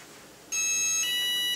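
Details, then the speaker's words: Quadcopter on a 550 frame with 12 A HobbyKing ESCs, stock motors and a Turnigy 9x receiver, powered with the receiver bypassing the HobbyKing V3 board running XCopter 4.7; clean, high two-part beep of about a second as the ESC arms normally at power-up. "powers up everything powers up so I know the SC's work and the motors work the receiver works the transmitter works"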